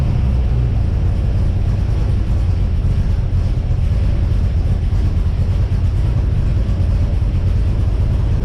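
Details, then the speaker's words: XG ute V8 on first start with new CNC-ported heads and a VCM 13 cam, on the initial oil before an oil change; deep, loud, steady rumble with no misses or ticking; normal idle. "beauty full that could not have gone any better"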